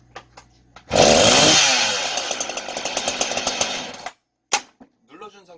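A sharp pull-start catches at once, then a high, buzzing two-stroke scream holds steady for three seconds before cutting off; saw healthy.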